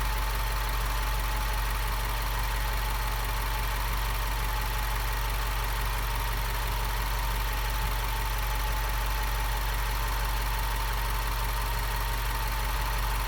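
A steady, even idle with a constant high whine sitting over it; the source in the engine bay is unclear.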